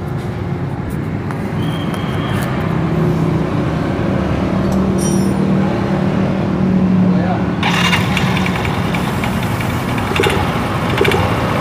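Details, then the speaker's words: Yamaha Mio Z automatic scooter, CVT block; a loose, uneven "kletek" clatter from the belt-drive housing that turns very rough when the throttle is opened. "Dengan suaranya ini kletek-kletek ya, kalau di gas itu bunyinya kasar banget ya."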